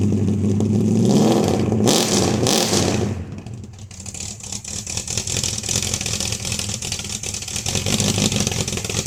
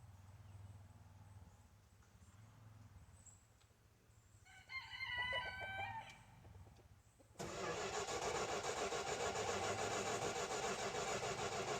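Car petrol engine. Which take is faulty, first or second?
second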